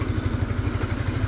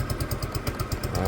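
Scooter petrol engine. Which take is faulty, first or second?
second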